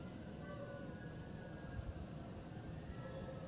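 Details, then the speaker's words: Sharp LED TV with intermittent picture, close to the power supply board: steady high, cricket-like hiss and whine, a hum from the power supply, not crickets. Problem suspected in the power supply, not the backlight; failing capacitor, measured 18 and 11.4 V. "Ayun, ewan ko kung naririnig niyo yung parang ugong ng power supply. Kuliglig yun. Yan, hindi kuliglig yun. Power supply niya yun."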